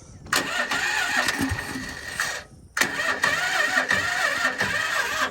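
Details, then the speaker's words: Honda Odyssey FL250 with new Duramax 440 electric-start engine, on choke: two slow labouring cranking attempts, no catch; battery too low. "Battery's a little low, boys."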